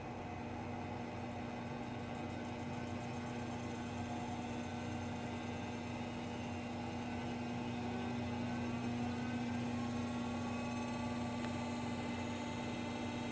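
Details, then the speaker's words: Treadmill motor fitted to a drill press for variable speed, running at low speed in reverse (counterclockwise). Steady, even hum with a thin whine over it; owner suspects the reverse direction causes the whine. "can hear that little bit of wine to it I think it's mainly because it's going in the wrong direction it is it's going back it's going counterclockwise right now it's in Reverse so that's okay"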